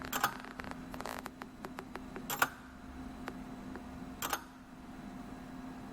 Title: How the Swiss Lever escapement works! ▶ With original ticking sound.